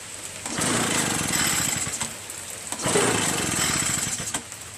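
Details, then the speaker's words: Curb-found Echo PB-403T backpack leaf blower, carburetor cleaned, magneto reinstalled, kill wire disconnected, starter sprayed into intake: repeated recoil pulls with ratchety whirr, engine never catches; cranks but will not start, no spark suspected. "So it, you know, you should hear something. It should kind of start, you know what I mean? Nothing, man."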